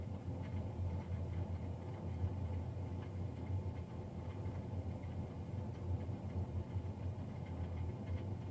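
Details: Navien NCB-240 boiler recorded Feb 3, 2020, three days after a Jan 31 service: steady heavy low droning hum with rough constant rumble; combustion fan unusually loud, cause suspected, not confirmed.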